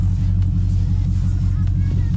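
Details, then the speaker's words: Pontiac G8 GT V8 idling after DIY oil change with Mobil 1: deep steady even rumble, no ticks or knocks; owner hears only normal headers and valve train noise, oil pressure good (gauge reads low). "Any noise that y'all heard from the engine bay is most likely the headers and valve train noise. I don't hear nothing abnormal that I never heard before."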